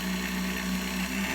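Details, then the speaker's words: Universal Pillar Tool driven by an electric motor through a blue drive belt, with the ends melted together, on a router speed control for variable speed: smooth steady hum, no slapping or squeal, normal belt drive running. "The action is nice and smooth. That's obviously using the router speed control part for the variable speed."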